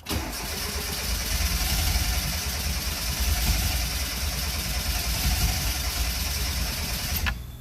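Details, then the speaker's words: Car believed flooded, cranked with the throttle floored: steady starter churning for about seven seconds with no firing, then it stops. The number 1 plug was only slightly wet, and something else is suspected. Cranks, no start. "Ain't gonna happen."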